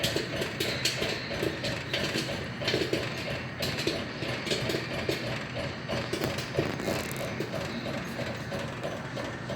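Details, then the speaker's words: Restored 1950s Popcorn Shop coin-op popper, kettle raised from 350 to 400 degrees after dime inserted: dense irregular sharp pops over low kettle hum with steam; corn popping normally. "And you can hear it popping now. See the steam rising. Popcorn's popping violently now."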